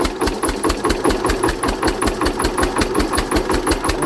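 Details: Hatz diesel converted to spark ignition on woodgas from a gasifier: sharp hard knock each firing over slow thumping idle; ignition timing too far advanced, later retarded, sounding much better.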